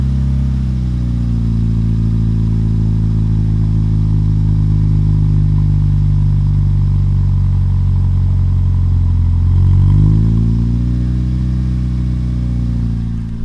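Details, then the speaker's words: Toyota Yaris one month after 1ZZ throttle body swap, cold morning start: fast, steady idle with an even hum that dips briefly and recovers; high cold-start idle, considered normal. "so there's always cold startup it's kind of high"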